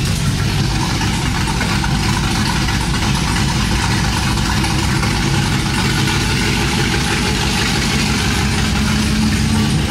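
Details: Cammed 5.3 V8 Chevrolet Silverado after long tube header, x-pipe, plug and wire install, open headers without exhaust: loud choppy lope at idle with uneven low pulses and header bark, steady; healthy.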